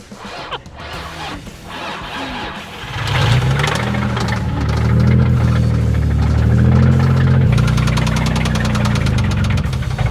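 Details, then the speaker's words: Infiniti G35 VQ V6 drift car, knocking after about 20 minutes of driving: idles with deep steady knock about four times a second, rod knock; engine to be replaced. "oh my God this thing sounds so bad"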